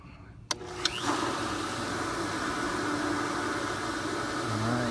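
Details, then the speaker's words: Pool pump motor switched on with a click, spinning up to a steady, even hum with no grinding after the impeller was freed by hand. Much quieter than the other pump. "all right now that is way way way quieter than the other than life you never really realize how big of a deal that is"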